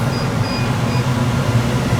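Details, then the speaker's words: Residential AC blower fan in the basement switched on while checking a house AC that isn't cooling (outside unit reportedly not running, possibly iced up); steady low hum and even airy rush, no knocks or squeals, fan working normally. "He said he shut it down, so when I turn it on, the fan should come on. Alright, so that's working."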